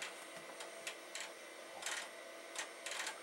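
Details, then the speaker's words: Amiga 2000HD floppy drives tested: irregular gritty rasping bursts over a faint whir as the drives seek; floppy drive grinding. "sounds gross. It is grinding. I'm going to stick another disc in this other one, see what it does. Well, they are grinding."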